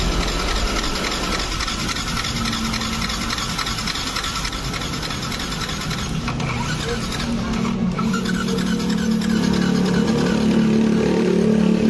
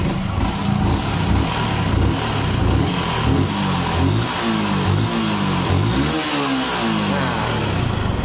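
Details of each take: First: Yamaha R15 that won't start at all, compression gauge in the spark plug hole while cranking on the electric starter: even, fairly quick cranking with little push-back; compression reads only 50 PSI against a 100 PSI minimum. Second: Yamaha R15 single after repair of sticking valves that had caused low compression and a total no-start: revs up and back down cleanly in repeated blips, no misfire or clatter, settling between revs; engine running healthy.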